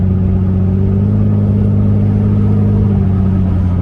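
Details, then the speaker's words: Infiniti G37 with ARK Grip exhaust at about 30 mph and 2000 rpm: steady droning low hum, louder and rougher than stock; exhaust leaks found at the flex pipe and the mid pipe. "a friend of mine's as soon as i pulled up to his house he said damn dude you got an exhaust leak"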